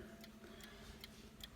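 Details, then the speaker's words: Late-1980s Hermle camel-back mantel clock fitted with a brand new Hermle 1050-020 triple-chime movement with bronze bushings: crisp, even tick-tock about two and a half beats a second; running healthy and in beat. "That's a Hermle 1050-020 with the bronze bushings in it."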